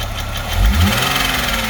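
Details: Porsche 986 Boxster 2.7 flat-six at idle: recently developed quick light tick over low drone, steady with engine speed; source not pinned down.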